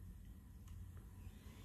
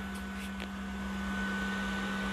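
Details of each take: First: PS4 console after cleaning dust out of its clogged cooling fan, recorded about five fingers away: only a faint low hum and no jet-like fan roar; the fan now runs quietly, fixed by cleaning. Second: PS4 console before cleaning, never cleaned before: loud steady rushing fan roar with a constant hum underneath, far too loud; dust blocking the fan, cleaning it fixed the noise.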